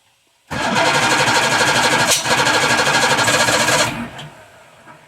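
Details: Roughly 1978 Evinrude 150 outboard on a 23 ft boat, cold start on choke with no throttle: about three seconds of rhythmic cranking that never catches; hard to start when cold.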